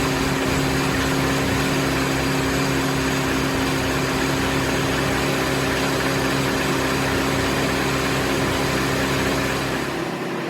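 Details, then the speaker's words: Mini after head gasket and timing chain reassembly, fresh oil, first run: smooth, even idle with a steady hum and no knocks or ticks; started slightly rough but runs great. "good news is starch runs runs great just like it did when i shut it off um started a little rough but i let it run for about 10 minutes"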